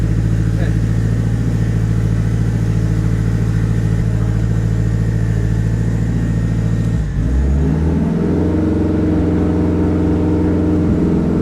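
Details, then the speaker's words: Honda K-series all-wheel-drive Civic build with larger injectors, first start before tuning: dull, lazy idle with soft uneven lope, then a stumble and rhythm change; ignition timing retarded, needs syncing (ignition later locked at 16 degrees). "So we're gonna need, you can hear it right now, it's retarded, so we're gonna need to sync it."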